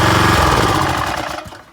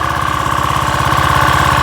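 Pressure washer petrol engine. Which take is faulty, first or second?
second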